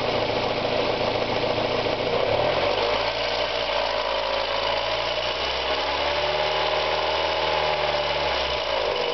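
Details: Mazda Miata engine revving up and down: light, quick valvetrain-type tick riding on top. It ticks from 1000 to 3500 rpm and fades above 4000 rpm; the owner fears a lifter (HLA), rod knock or bearing; cause undetermined.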